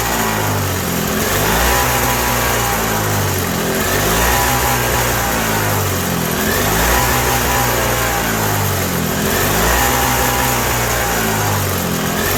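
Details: 1987 Toro CCR 2000 snowblower two-stroke, cold, with a newly fitted replacement carb; speed swells and sags about every 2.5 seconds and it only stays alive on choke. Running lean, and jet adjustment in or out has no effect.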